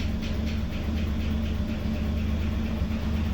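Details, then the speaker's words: VL Commodore, sat for a while, fresh 98 premium fuel added; after a rough start, even low engine rumble holding steady with no misses or surging, running smoothly; owner thinks it cleared dirty fuel. "I think it was just getting rid of some dirty fuel I'm not too sure but it seems to a sorted itself out now"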